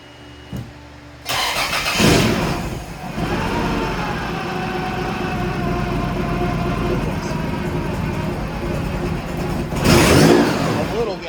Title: Engine misfire and exhaust leak fixed.